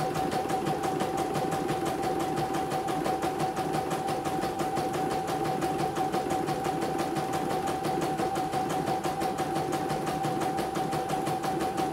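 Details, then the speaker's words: CNY embroidery machine after repair of total jam: steady even stitching clatter about three beats a second with clean constant hum, no knocks or catches; normal embroidery run, ready to ship. "Sudah halus, tidak ada kendala. Jadi siap dikirim ya."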